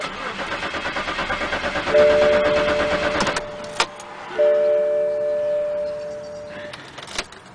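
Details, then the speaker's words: BMW that cranks but will not start: starter turns the engine in even pulses about twice a second but it never fires; no fuel due to failed fuel pump relay, fixed by replacing the relay. "it won't want to start just cranks"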